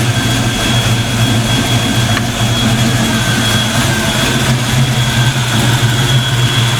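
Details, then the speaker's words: Black Stang (Mustang) first fire with 24 lb injectors and 73 mm mass air meter; rockers shimmed, idling much better; steady, even low rumble with no ticking or misses from the top end: normal idle. "car's idling a lot better man i think shimming those rockers worked out pretty good"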